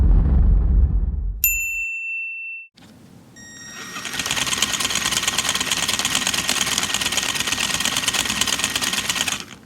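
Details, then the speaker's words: Axial SCX10 Dingo RC crawler with the stock driveshafts aligned by the manual's tabs: a quick, even chattering ratchet of about three clicks a second. Axle chatter from driveshaft phasing, fixed by reorienting the driveshafts. "That's what's been described to me as axle chatter."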